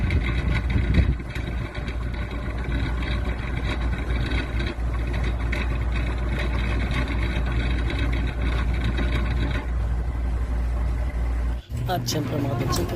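A loud, steady low drone with a rough rumble that holds all the way through; the unit runs noisy, cause not clear.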